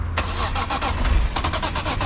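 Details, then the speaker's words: BMW E46 M3 during SMG-to-manual swap: starter churns in an even pulse of about five or six beats a second but engine never catches; crank no start, owner suspects battery needs charging. "It feels like when I come here it don't want to start because"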